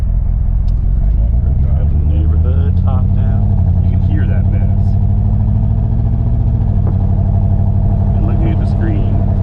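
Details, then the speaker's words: 2008 Chevrolet Corvette C6 under load on drive: lumpy uneven beat that doesn't clean up on throttle; misfire on cylinders two and eight, running on six. "it doesn't clean up when you get on the gas cylinders two and eight still tomorrow did you hear it it's on six cylinders that's how it sounds"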